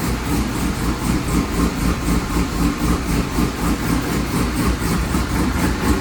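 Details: C5 running after a torque tube rebuild, new clutch, rear main seal, billet oil diverter, gaskets and CV axle seals: a steady, even low idle rumble with smooth regular firing, no knocks or misses; the engine sounds healthy.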